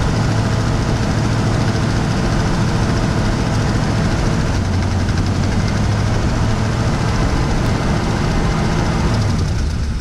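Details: 1979 GMC C15 V8 just fitted with Edelbrock 1406 carburetor: deep steady low rumble at idle with even beat, no knocking or misses; idles smoothly.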